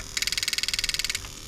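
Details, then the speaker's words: Bench test of a 1995-96 LS400 1UZ-FE to IS200 plug-and-play harness, firing each injector in turn on a crank signal: crisp, rapid, even clicking, about twenty per second; the injector is working normally. "So as we go around, injector number 1, you should hear the operation of the injector itself."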